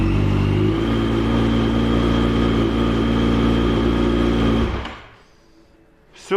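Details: Yamaha FZ8 that would only push-start, after a starter relay and battery diagnosis: the engine runs with a steady even firing beat for several seconds, then shuts off cleanly; healthy running.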